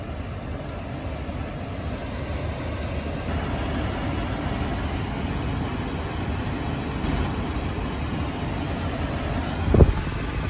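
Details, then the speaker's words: 2010 Honda Odyssey after swapping in a test A/C compressor relay, engine running: even rushing airflow from the vents over a smooth idle hum, no cycling clicks or squeal; A/C working again, bad relay confirmed. "నేను air కండిషనర్‌ను start చేయబోతున్నాను [ .. AC వెంట్ల నుండి గాలి ప్రవహించే శబ్దం .. ]"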